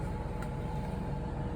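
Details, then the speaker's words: Brand-new Coachmen Nova 20C RV's Cummins Onan generator, 0.7 hours runtime, after recall fuel-line hose replacement for vapor-lock stalling, running the Truma air conditioner on low: steady even low drone, no surging or stumbling; normal running under load. "is operating still running so we're just testing to see if that hose that they replaced on the rebate I'm sorry recall um did the trick"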